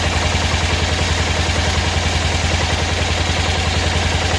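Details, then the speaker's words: 1988 Club Car golf cart, 8.5 hp Kawasaki engine, barn find, idle lowered; low even putter at a steady idle with a soft regular beat, no knocks or rattles, quiet, not smoking, healthy. "nice and quiet not smoking smooth when it runs"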